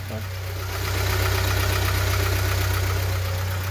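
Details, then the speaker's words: VW Fox 1.0 still cold, earlier with a top-end noise suspected to be a hydraulic lifter, oil pressure above 3 bar. Smooth, even idle pulse with no ticking from the top end: normal idle, noise clearly different now. "Estamos fazendo os testes mas até agora tá indo tudo bem a diferença do Barulho bem diferente né"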